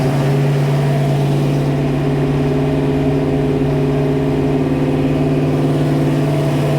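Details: 1966 Mustang Fastback, new 347 stroker V8 with T5, first start: a steady, busy idle sitting noticeably high with no dips or misses. The high idle is from the unadjusted carburetor; its idle screws still need setting down.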